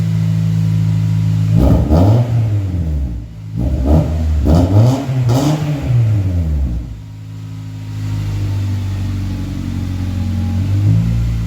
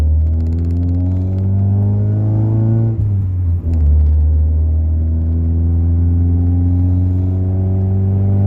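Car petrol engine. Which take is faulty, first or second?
second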